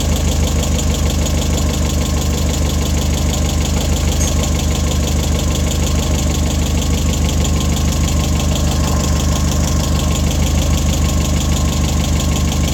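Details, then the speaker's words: Car on warm-up idle with aftermarket injectors; fast even ticking about three a second riding over the engine, ridiculously loud on this car but normal for aftermarket injectors, unlike stock ones. "it's not normal for stock injectors to be loud Zoro for aftermarket injectors to be loud"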